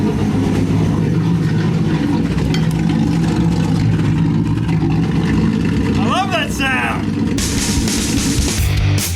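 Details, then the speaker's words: 1965 Mustang inline six (iron 6) started on a cool late-October day after about a month and a half unused, on a temporary fuel setup; loud, raw, booming exhaust swelling as revved, from a massive hole in the muffler. "just a side note there is a massive hole in the muffler which I have grown quite fond of"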